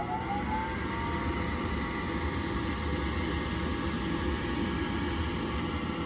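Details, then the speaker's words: Horizontal gas furnace in attic, R jumped to W: steady inducer motor hum with faint whine, pressure switch closed, gas valve opens and gas heard, but no igniter and no burner light-off; furnace inducer running but no ignition. "pressure switch is closed we should be getting igniter we're not getting any ignition"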